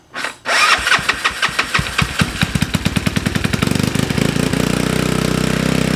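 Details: GY6 engine with a 171cc big bore kit in a Honda Ruckus, freshly built, after the reversed stator-to-CDI wiring was fixed: fires after a short crank and settles into an even, quick single-cylinder putter with no misses or knocks. Normal start and idle.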